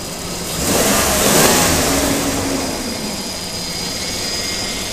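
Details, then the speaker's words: 2002 Ford Explorer after a timing chain job, with AC on max: a quick throttle blip rises and falls cleanly, then a steady idle with no rattle. The clutch fan works and it is still smoking off; the engine sounds healthy. "it sounds good"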